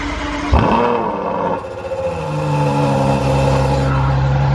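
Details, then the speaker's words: Ferrari FF, 81,000 miles, stock exhaust, final cold start: loud rev flare for about two seconds, then the exhaust valve closes and cuts the sound to a much quieter steady idle; normal cold start. "See, it sounds good for like 2 seconds, and then the valve comes in and absolutely cuts off the sound."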